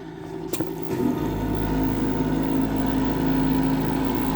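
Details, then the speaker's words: Old Lennox pulse-combustion furnace on a no-heat service call, running after low-voltage wiring was disturbed: sharp snap of the spark igniter at ignition, then a steady fast low puttering drone holds evenly; normal pulse combustion firing. "you hear the sparking coming from the electrode there or the arker and that constant noise there that's actually the the spark plug getting getting spark and and firing"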